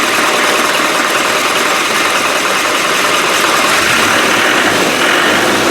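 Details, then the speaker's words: Rebuilt Land Rover 300Tdi diesel, first start after a fuel pump problem and the fuel pipes refitted, running on water coolant for testing: loud, even diesel clatter with no misses; running steadily. "now it should start uh it'll take a bit of cranking over to get the fuel into the pipes but with a bit of look it'll fire"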